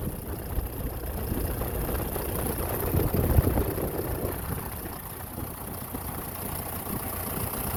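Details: 2012 John Deere 6230 tractor, listed as running with a bad transmission: a soft, steady diesel idle with an even low rumble and no knocks or misses. The engine runs fine.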